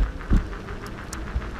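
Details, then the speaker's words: Backfire Ranger X1 all-terrain electric skateboard on its first ride: deep, uneven thumps recurring over the rolling hum, sounding out of round; owner suspects tire nubs or manufacturing imperfections that should wear in, unconfirmed. "one thing I've noticed is you hear the sound come from the tires almost like out of round I guess but"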